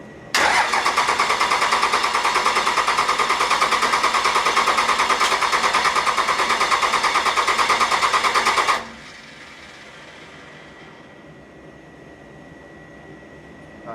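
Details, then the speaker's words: 1957 big rig with Cummins diesel swap, long unrun: steady, even cranking at about three pulses a second for eight seconds, never firing; air in injector lines after removal for AFC fitting, lines cracked to bleed. "So, we introduced air into it. So, we're going to have to crack these uh bleed them out a little and then hopefully uh it still runs cuz it's been sitting"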